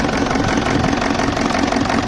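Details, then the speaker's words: 2007 BMW E65 745d with a 4.4 diesel V8 (242 kW) and EDC16C31 ECU, in limp mode with EGR faults and the EGR valves unplugged: a sharp regular clatter and knock at idle right after start. Injectors are suspected, but this is unconfirmed. "let's go and have a start it immediately as you can hear the sound is clocking knocking we talked that probably some of the injectors can be gone but we're not sure about that"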